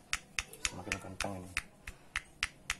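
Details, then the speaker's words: Yamaha Soul GT 125 scooter, rough noise at idle rising with revs; crankshaft removed, rod struck by hand gives sharp metallic clacks about four a second from big end; connecting rod play confirmed, rod and bearings must be replaced. "Ya, positif. Jadi stang piston atau stang severnya ini kocak. Oke lah, wajib ganti ya."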